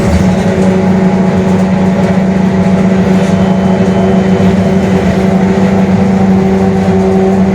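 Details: Mercedes-Benz OF-1721 Bluetec 5 diesel urban bus, Mascarello GranVia Midi body, built 2021, onboard while driving: steady low growling hum under the engine, a growling (roncando) differential.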